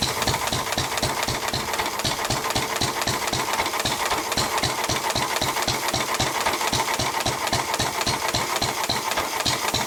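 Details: 1923 3.5 hp Emu (rebadged Hercules) engine, idle 20+ years, after oiling the sticking magneto and exhaust-valve mechanism: crisp, steady chuffing at about four beats per second with no misses or rattles; it runs pretty well.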